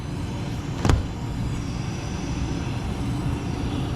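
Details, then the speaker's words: Outdoor condenser of a Lennox AC that had not run in a while, after running new low-voltage wire to the Y and C terminals: steady, even low rumble with no knocking or rattling, blower and refrigerant heard running; normal condenser operation; coil later found caked and washed. "Blower motor is running. I hear the refrigerant. Let's go."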